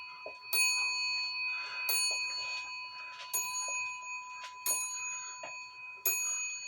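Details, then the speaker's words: Shelf clock after bending the hammer wire away from the wood it touched, back on wall: clean even strikes about every 1.25 seconds with a soft tick between; now striking properly. "Again doesn't that sound a lot better"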